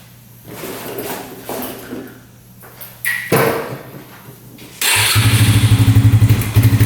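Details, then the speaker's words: 2011 Yamaha Raptor 125 quad, gas cap removed: single fires into a lumpy pulsing beat about four a second; runs better with choke on but won't idle, stalls with choke off; owner suspects not getting enough fuel. "Seems like with the choke on, it's running a lot better. It's a lot better with the choke on, but it's not idling."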